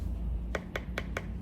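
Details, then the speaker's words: Tap test on a freshly trimmed pot wall, four quick crisp finger taps over low room hum; thinner wall gives higher pitch, tone marks correct thickness, about 3 mm wall at 10 mm trim depth. "The thinner the pitch sounds higher. And at a certain stage, you stop. Okay? But when you are learning use that so that you don't need to guess it right. So this is the right thickness and then you check it right."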